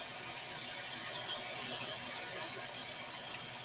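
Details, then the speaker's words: 3D printer fan grinding away: steady gritty rasp with faint whirring as it spins. "I can hear that fan just grinding away it's really bothering me now"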